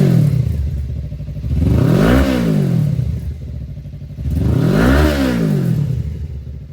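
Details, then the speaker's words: 2018 Suzuki GSXR bought not running, once rat-infested, 3,67 miles shown, empty tank: throttle blipped twice, revs rise and fall cleanly with crisp even note, no knocks or rattles; runs healthy. "It's crazy. This thing actually runs really, really good and sounds super healthy."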